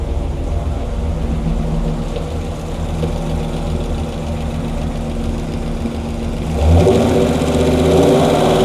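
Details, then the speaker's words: 426 Hemi V8 on a dyno, warm, after a bad piston was replaced, timing about 34°: even, steady lope at idle, then a clean rise when revved, with no lifter tick or knock; lifters quiet, normal idle and rev. "okay SC the lifters it's good it's it sounds good yeah it's quiet"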